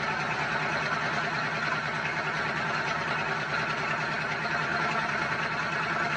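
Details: Dodge V8 truck started after all-new vacuum lines were fitted and hoses shortened: steady, even V8 rumble at idle with no misfire, ticking or hiss, normal idle.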